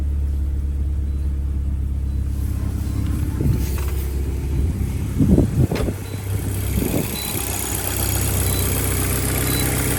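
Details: VW MK5 GTI TFSI engine after spark plugs, coil packs, an injector and a screw-on part were replaced to cure a severe misfire; starter catches, then a steady, even idle with no missing beat; normal idle.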